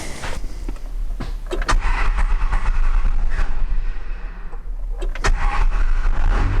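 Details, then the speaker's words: 1994 second-gen Dodge Ram with Cummins 12-valve diesel, cranking after a fuel filter change and priming until the injection-pump relief valve sounded; several uneven cranking turns with clunks, then it catches and settles into a steady run; normal start. "start all right so you saw we got it running we didn't like on these cummins generally speaking if you give it just a little throttle as you crank it it'll fire right away"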